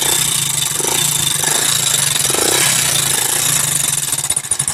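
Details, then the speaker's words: 2020 Hero HF Deluxe BS4 carburettor motorcycle, about 50,000 km, engine worn out: self-started then idling, busy tinny metallic clatter over an uneven beat; owner says timing chain noise is audible, not confirmed. "भाई ये है इसके engine की आवाज। और यहां पर timing चैन की भी आवाज आ रही है।"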